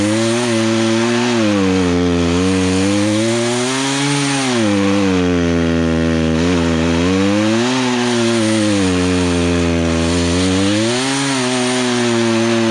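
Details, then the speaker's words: Poulan Pro chainsaw, sat 3 years, after low/high carburetor adjustment: strong steady buzz through log cut, pitch dipping and recovering under load without bogging or stalling; running well, chain may need sharpening. "okay so let's cut and fine besides i probably need to sharpen the teeth up but i got it where it's not stalling out as you're cutting through"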